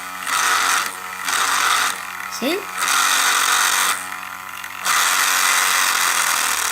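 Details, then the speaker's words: Fisher-Price Cradle'n'Swing at startup: high buzzing whir in bursts of about a second as the motor spins up, rattling because the motor sits with play in its plastic socket and vibrates at speed, not the gears; fix is damping the vibration. "if not the actual gears that are making the noise it's the motor that has a little bit of a clay in the plastic socket and it vibrates when it goes fast okay"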